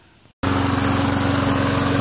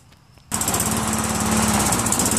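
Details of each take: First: Craftsman Eager 1 mower with Tecumseh 5.5 hp engine after carburetor cleaning. After a brief gap it picks up and holds a steady, even running note with a regular beat; runs properly. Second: Tecumseh 5.5 hp single on a Craftsman Eager 1 self-propelled mower, after carburetor cleaning: fires up and runs with a slightly uneven, hunting beat; throttle spring is stretched too far and needs tightening.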